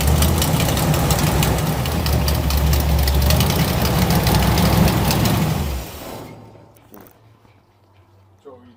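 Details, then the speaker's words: 1963 Chevrolet Impala V8, power steering not hooked up: cold idle with a steady tick about four times a second over a deep rumble, like valvetrain chatter; unconfirmed. "checking I'm just hearing what that that noise is it's got a lot of [Music] [Music] chatter"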